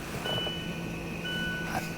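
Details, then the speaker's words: Mazda 3 rear electric parking brake, commanded by scan tool with foot on the accelerator during caliper repair: a faint, steady electric whir for a couple of seconds as both rear brake motors drive smoothly and then stop; normal operation. "can hear the other one back there moving. It's still moving. Now it's stopped."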